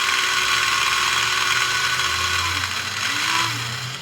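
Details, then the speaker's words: Untested as-is model Pennsylvania locomotive after cleaning and lubrication; high steady motor whine with even gear ticking about four per second, running pretty good. "and it's working pretty good."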